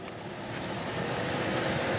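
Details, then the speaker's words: 2003 Chevy Silverado 1500HD blower motor at full fan speed, key on and engine off, drawing about 13.5 amps, a normal reading; steady, even rush of air with no ticking, rubbing or squeal. Blower healthy after re-test. "see our controls work everything's good it about 13 13 1/ 12 amps on the blower motor"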